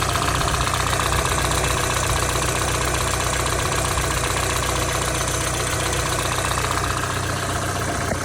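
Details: Warm idle on ZX engine once up to temperature: crisp, even knock about four beats per second over the engine; suspected bottom-end knock, cause unconfirmed.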